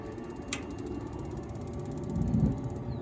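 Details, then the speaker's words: Camplux 110,000 BTU instantaneous pool heater, propane unit on natural gas, battery-powered electronic ignition, turned on with the pump at 36°F outside: sharp snap, quick igniter ticks, then a low whoosh as the burner lights cleanly. "hopefully you can hear it um spark and ignite"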